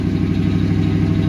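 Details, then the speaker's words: Salvage-title Mustang whose idle varies, sometimes the intended 800 rpm and sometimes 2500: holds a fast, steady idle with a deep, even hum and no dip; high idle, cause not yet found. "um the idle will sometimes it ends up being like the 800 that we want sometimes it ends up being 2500"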